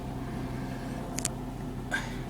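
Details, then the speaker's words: 2001 Jaguar X-Type 2.5 V6 petrol manual, just restarted after the starter motor was replaced. Quiet, steady idle hum with no knocks or misses, only a couple of small clicks. Runs smoothly, normal idle. "That sounds like it's running really nicely. Let's have a quick look at the engine. Yeah, all sounding good."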